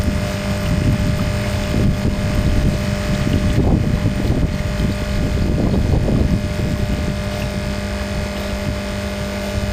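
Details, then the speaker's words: Vibration pump in a plastic jacket after gap adjustment and removal of a 1 mm washer from the piston: steady, even mains-frequency buzz with water rushing; works like new, normal running. "хо работает как новый на такое расстояние основа насос не пускал"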